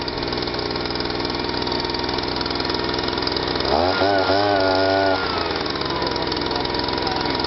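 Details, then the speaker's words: Stihl SH/BG 85 two-stroke leaf blower, previously so choked up it wouldn't start or rev and spilled petrol from the exhaust; after repair it runs with a steady, even buzz that firms up briefly with no stumbling or misfiring: normal running. "What I'll do now, actually, I'll give it a run and hold that back, and you'll hear how with that back how it runs and how it should run."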